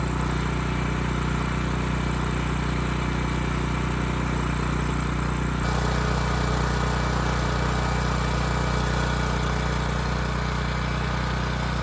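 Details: Ridgid generator with Yamaha MZ360 engine, about 10 years old, unused 4 years, loose adjustment screw and suspected vacuum leak found: steady even drone holding constant speed, no hunting or surging; speed and power output good; normal running.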